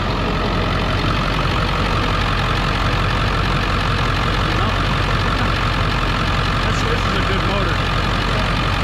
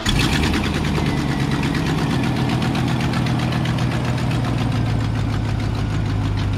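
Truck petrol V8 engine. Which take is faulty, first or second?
second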